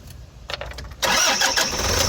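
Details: Toyota Hiace D4D diesel with no-crank, no-click fault from no supply at the fuse, started by jumping power to positive: a few brief cranking bursts, then it catches into a steady, loud idle.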